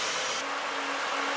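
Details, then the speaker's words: BA Ford Falcon during coolant flush and change, engine idling warm with heater on full, radiator fans running to bring it to temperature: loud, steady airy fan rush over quiet idle, no squeal or rattle; normal cooling fan operation. "that's pretty loud at the moment because if though my fans are on to make sure I got it right up to temperature"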